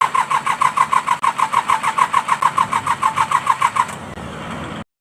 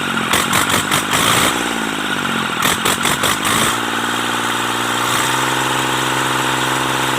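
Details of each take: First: Mitsubishi K3E engine in an MT18 tractor: even cranking chugs about three per second for four seconds before briefly catching, a slow weak-compression hard start from worn rings; three pistons and rings to be changed. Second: Mitsubishi K3E three-cylinder diesel in an MT18 tractor, after replacing three pistons and rings to cure hard starting: after a few blips it settles into a smooth, even, steady idle with no knocking; normal idle.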